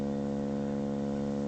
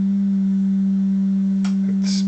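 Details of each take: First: Pye TRS-2000 AM/FM radio before the mod, AM signal near 650 kHz modulated just over 50% with 70 Hz audio: a rough, buzzy, raspy hum instead of a clean tone; bass distortion from a 10uF AGC capacitor, reduced by fitting 22uF. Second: Pye TRS-2000 AM/FM radio with AM bass distortion, signal generator modulated by a 200 Hz tone: steady, pure low hum at fixed pitch with no buzz or rasp; clean 200 Hz tone.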